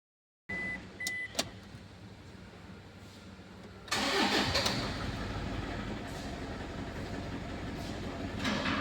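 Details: Toyota engine starts after two chimes and a click, then idles unevenly with a rough, stumbling beat and jerking; cylinder misfire, injector circuit open.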